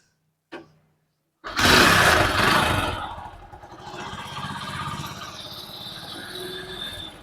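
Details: Hero HF Deluxe motorcycle: fires after a sharp kick and settles into an uneven, clattery idle with a tappy rattle on top; abnormal engine noise, cause not stated.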